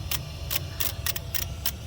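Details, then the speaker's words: 2001 Chevrolet Monte Carlo 3.8L: wiggling the bad ignition module's connector makes the injectors fire erratically, heard as irregular bursts of sharp rapid ticking over a quiet background, with false rpm signals up to 32,000; diagnosis is a bad ignition module. "and that's me wiggling it you can hear the injectors just fritzing out so there it was bad ignition module"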